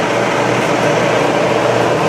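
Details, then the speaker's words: Kenmore electric dryer after replacing the seized motor with a new one, running before the back is bolted on: steady even drum rumble with smooth motor hum, belt straight, no knocks, squeals or scraping; normal running. "So it's running here. And it's running. Belt's nice and straight. It sounds no different if the, you know, it's running on its felt there."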